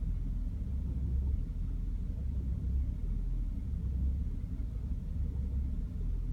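Low, deep idle rumble with an uneven, lumpy pulse that dips and surges irregularly; the engine is idling rough.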